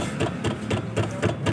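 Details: Maruti Alto 800, fairly new, suspension noise: dull clunks about four a second as the body is worked up and down, pointing to a worn lower control arm joint.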